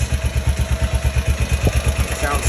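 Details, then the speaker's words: 2005 Honda Rincon 650 after timing chain tensioner replacement: even, low, steady thump at idle with no clatter or rattle on top; the earlier rattle is gone, idles smooth and healthy. "smooth none of that crazy rattle at the day"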